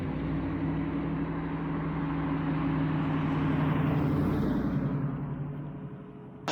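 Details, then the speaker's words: 1966 Mustang with 4.6L modular V8 swap, first start on the new 2.5" straight-pipe exhaust with downpipes dumping at 45 degrees: deep V8 rumble swells through a strong rev and falls back to an even idle; healthy. Revving to 6000 rpm blew off a coolant hose. "right i am so happy with how that sounds that sounds so great"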